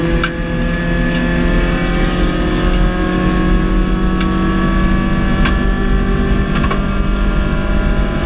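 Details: Race engine late into a race, revving high under load; steady scream broken every second or so by sharp irregular pops and stumbles: engine misfire.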